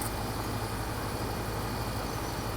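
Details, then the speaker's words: Outdoor AC condenser unit, panel refitted, final test: steady fan whoosh over an even low hum with no rattles, scraping or buzzing. Runs smoothly; problem solved. "I put back the panel and we are ready for the final test. Problem solved, project completed."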